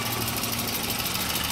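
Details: 1992 Volvo 240 DL automatic, rust-free trade-in, transmission serviced at 113,000 mi: steady, even four-cylinder idle with a smooth hum, no ticking, knocking or hunting; normal idle.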